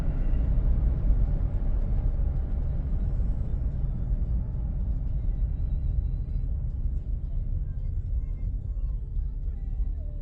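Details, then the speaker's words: 2008 GMC Envoy after wheel bearing replacement, slowing from about 55 mph; smooth, even road rumble with no speed-dependent hum or moo, no dash lights: normal road noise, issue fixed. "Oh man, that's so nice. We can accelerate. Wonderful. No lights on in the dash."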